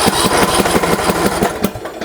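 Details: MTD Yard Works lawn tractor, Briggs & Stratton single-cylinder engine, choke on: a short run of uneven firing pulses sputters and fades as it catches briefly then dies; fuel starvation.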